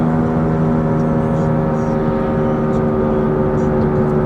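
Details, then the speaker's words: Scion tC, over 80,000 miles since rebuild, cruising: constant low droning hum at steady pitch over road noise, like a biplane following it; right front wheel bearing suspected, not confirmed. "so the afternoon cruise Scion tC sounds like there's a biplane following it around everywhere"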